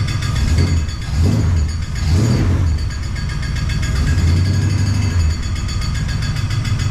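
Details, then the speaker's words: 1969 Plymouth Fury III, all spinning accessories and pulley removed except harmonic balancer: low droning rumble swelling irregularly at idle with faint ratcheting, louder than ever; front-of-engine noise, cause unknown. "a that sound is horrible oh my gosh so it's louder than ever we have everything off that spins except the harmonic balancer what the heck"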